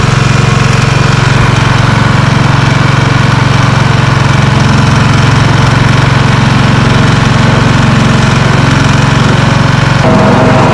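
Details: Lawn Ranger tractor mowing after deck repairs, including the blades and a twisted deck leg. Steady, even low thrum under mowing load with no knocks or rattles: normal mowing. Steering is stiff and the pivots need lubrication.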